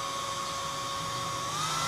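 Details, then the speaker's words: Portable hot-air soldering blower, speed knob raised: high motor whine climbs smoothly in pitch; motor speeds up normally, showing the IC is a DC-DC converter dropping about 100 V to 12 V for the motor. "Ini saya putar lebih kencang, semakin kencang."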